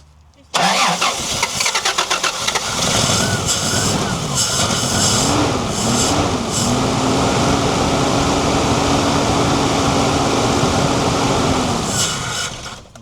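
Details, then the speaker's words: 1990 Toyota LandCruiser petrol engine that sat for years, running only on fuel poured into the carburetor bowl: cranks, catches, runs rough then evens out for about ten seconds before dying as the bowl runs dry, with no fuel supply hooked up. "I thought she might have kept going because it did when they they cut out when they pressurized and the float when the float gets to level."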